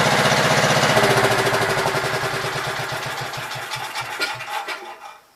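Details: Gravely Pro 12 walk-behind single-cylinder engine firing crisply and evenly, then slowing steadily and dying away at shutdown with no knocks; the machine seems sound apart from the Swiftmatic and clutch needing adjustment.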